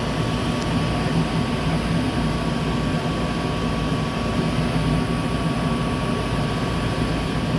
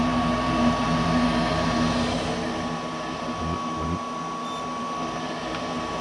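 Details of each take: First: Goodman gas furnace that would not heat (AC worked), after replacing a bad gas valve that wasn't opening: burner lit and running with a steady, even roar, faint constant tone, no popping or surging, flames look good. Normal burner operation. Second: Goodman gas furnace not heating, air conditioning fine: steady inducer fan hum with igniter cycling but no burner whoosh; 24–26 volts at the gas valve, yet it doesn't open, gas supply verified; valve to be replaced.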